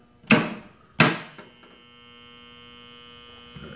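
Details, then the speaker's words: Motor contactor powered at 120 V on the bench: two sharp clacks, then a steady mains hum from dirty magnet faces chattering. "I guess you can hear that hum"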